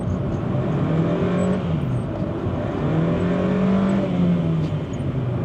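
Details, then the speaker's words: Old Honda Jazz climbing a hill: engine note climbs and sags under load without the car pulling harder, with a smell of clutch; slipping clutch. "Slippy clutch, there we go, and again. Might actually struggle to get up this hill, you know."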